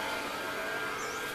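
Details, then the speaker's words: Yellow transfer pump sending water from settling jars up to a 2000-litre stainless tank with float cutoff: even electric hum with steady high tones, no surging or grinding; normal running. "Donc là, on entend la pompe jaune qui fonctionne, hein, qui envoie l'eau"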